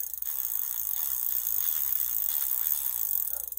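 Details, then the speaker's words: Huffy Trail Runner full-suspension bike freewheel: fast, dry ratcheting clicks from dry pawls, getting quieter as Tri-Flow oil is filled in and spun through. "and you can hear it getting quieter already and I usually keep going at the very least until you start seeing oil coming out on the other side"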